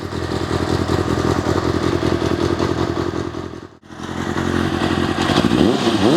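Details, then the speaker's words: Kawasaki ZXR400, about 30 years old, after carb clean and new air filter, carbs unbalanced: steady idle with light blips carries a loose uneven metallic rattle from the clutch casing; cause unknown, owner plans to strip and recheck. "so we've still got that um slight rattle from that clutch casing"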